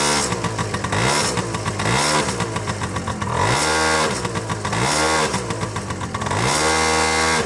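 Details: Honda Tact AF24 moped, cold engine, revved up and dropping back repeatedly with a rough rattly edge; knock began along with heavy smoke, owner doesn't blame a clogged muffler; cause unknown.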